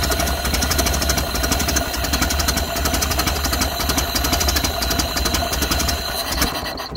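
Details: 1931 Ford Model A flathead four, 200.5 cu in, after sitting 67 years. Carburetor and internal filter cleaned after flooding; slightly choked. Slow, even ticking beat with steady rhythm and no stumble. Healthy low idle.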